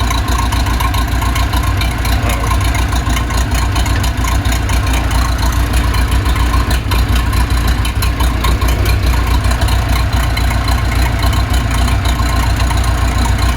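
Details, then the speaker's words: Case 207D (450) dozer diesel after a year-long engine rebuild, reinstalled and reassembled, fitted with a muffler so much quieter: deep, steady idle, even beat with no knocks, misses or rattles; healthy. "put a muffler on it by the way so it's much quieter"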